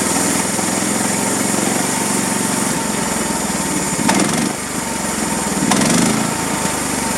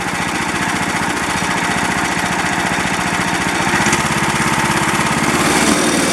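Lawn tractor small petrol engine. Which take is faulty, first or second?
first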